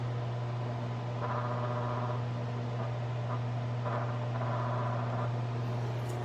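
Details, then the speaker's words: Wahoo Kickr Headwind fan at 75% speed: steady low hum with a faint rattly buzz coming and going, vibration felt on the housing, most noticeable around 50–75%, masked at 100%; fan vibration noise, cause not found. "foreign so that's at 25 just put my finger here and you can feel 75 you can feel there's some vibration here"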